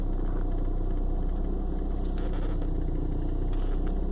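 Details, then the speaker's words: 1995 BMW 318i idles with a low, lumpy rumble and an irregular sputtering shake, and starts hard; it happens on and off, shaking some days. Spark plugs are new; cause unknown. "It does this on and off from time to time. One day it starts good, next day it's just shaking."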